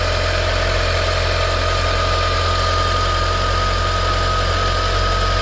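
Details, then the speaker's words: 2011 Mitsubishi Eclipse 2.4L that died while driving and then cranked but wouldn't start, with compression that sounded bad; after the repair it now starts and idles smoothly with a steady hum and no slapping or ticking from the belt area. "oh man look at that it's running guys seems to be running pretty smooth"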